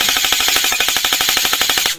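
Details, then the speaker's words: Rebuilt airsoft M4, gears realigned after earlier seizing, running again: crisp, even mechanical cycling of roughly a dozen shots a second at a steady rate, no hesitation or grinding; gearbox cycling cleanly. "So she is running again, or he's running again."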